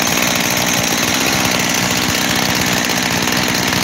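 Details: Husqvarna 372 XTorq chainsaw, just rebuilt with new bearings, seals and carburetor, base gasket checked good: loud busy idle with a hunting uneven note that won't settle; owner suspects an air leak at the transfer cover, not confirmed.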